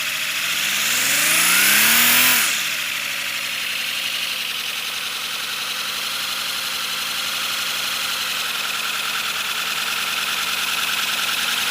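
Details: First-build 3D-printed PLA V12 model engine on compressed air, freshly lubricated, no exhaust port yet: fast, even chuffing, about four beats a second, under loud air hiss; pitch climbs briefly, then settles into a steady run.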